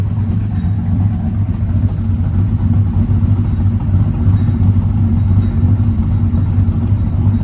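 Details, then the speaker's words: 1999–2006 Chevy Silverado V8 just fitted with long-tube stainless headers and a cold air intake, MagnaFlow single-in dual-out exhaust, wideband speed-density tune, slightly warmed up: deep, steady, calm burble with even pulses and no knocks; normal idle. "It's got a MagnaFlow single in dual out exhaust, so it's not going to sound like a stock exhaust, but we're gonna get an idea of how good it sounds. So at idle, it's nice and calm, it's timid"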